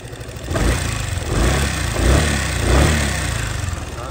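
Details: Honda SH300i scooter, a common fault on 2016–2020 units: short revs with a light, fast clacking over the low engine note from valve clearance ticking; fixed by adjusting the valve shims.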